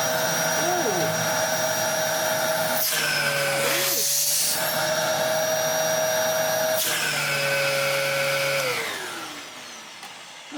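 Steady high motor whine with clean, even pitch as the nozzle is blocked and freed; no valve flutter, running healthy.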